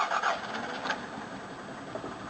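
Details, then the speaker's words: Engine left sitting a few days, infrequently driven and suspected carboned up: weak, uneven cranking with compression on only about two cylinders because the valves stick; cranked to build oil pressure. "All the valves seem to stick. Have a listen. It's only got compression on like 2 cylinders."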